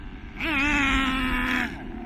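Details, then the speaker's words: Hobao Pirate nitro RC car engine running too rich: the buzzing note climbs, then sags and won't pick up, spitting excess fuel. This is a rich bog; the fix is leaning the high-end needle clockwise. "So, too rich. It's spitting too much fuel. Too much smack. It doesn't want to accelerate very well there. Just boggy."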